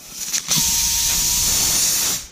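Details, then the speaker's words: Flat tire with a nail through it, bubbling: as the nail is pulled out before plugging, a loud sharp hiss holds steady about two seconds then fades; air leaking from the nail puncture. "You hear that? That's the air coming out of the tire."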